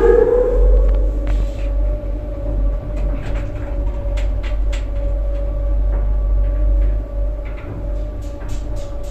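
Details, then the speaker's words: Classic 1960s Marryat & Scott service lift in a rundown shopping centre; riding in the car: steady low motor hum, constant mid-pitch tone, light clicks and knocks; really good, healthy lift motor sound. "that's a really good motor sound and let's take a ride in another one of the mar Scots here"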